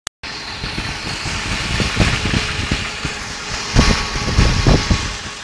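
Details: BMW E38 740i with M60B40 V8 at idle: an uneven knock with a light tick running through it, irregular, a few per second; the cause is unknown.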